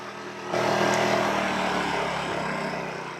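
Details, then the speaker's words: WEN56235i 2350W generator, first power-up and burn-in: the engine spins up and settles into a soft, even hum with steady pitch, quiet enough to talk over, with only occasional slight bumps; idling smoothly. "Now that's a nice purr. Now this is quiet enough where I can just speak my normal talking voice and feel like I'm probably still being heard by you."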